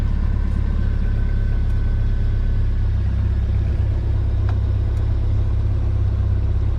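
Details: Jeep Wrangler YJ idling just after steering column replacement, fuel pump and oil pressure coming up: steady, even low rumble with no misses or knocks; normal healthy idle.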